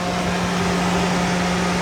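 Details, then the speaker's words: 1999 Ford Lightning with newly wired 2010-2014 F-150 style electric radiator fan plus heat exchanger fan on temporary wiring, key on before start; steady rush of air and even hum, no ticking or scraping, both fans running normally. "That's my big fan, or this one is hooked up to the small radiator fan, and then this one here is hooked up to my heat exchanger fan. So you can hear them both kicking on, but you can tell this thing moves some air."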